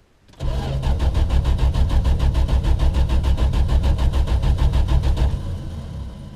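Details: 1974 Valiant, first cold start after sitting since August in cold weather: steady cranking at about three turns a second for nearly five seconds without catching; a long, hard start, slower than after two years on jack stands.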